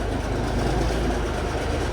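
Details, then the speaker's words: Peterbilt 359 diesel, first start in over a year after Spicer 6-speed transmission and new Eaton clutch install: deep steady rumble, even beat, no knocks or misses; smooth healthy idle. "God it's good to hear it run again oh boy"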